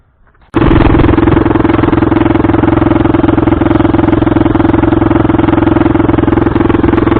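Loud, raw open-pipe bark at a fast idle around three and a half beats a second, uneven with skipped pulses, so the engine is misfiring.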